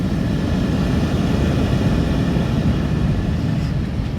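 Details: 2011 Buick Lucerne with no blower airflow: steady, even low rushing hum of the blower with no catches or rattles, turning on the bypassed speed wire; fault was a wire not connected from the HVAC control module.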